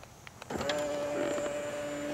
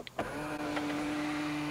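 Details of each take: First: Tesla Model X middle-row seat moving normally with its pedestal, without the loud spring-loaded clunk at end of travel seen elsewhere: steady, even motor hum with no clunks or catches; normal power seat movement. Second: Tesla Model X middle-row power seat, driver side: the motor whines steadily, then a loud sharp clack right at the end of travel as the cover plate springs free and fails to release properly.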